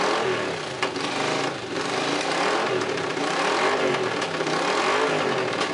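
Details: Honda CX500 V-twin, no radiator or coolant fitted, exhaust leaks with sparks from one head: runs and revs up and down cleanly with no knocks; sounds healthy.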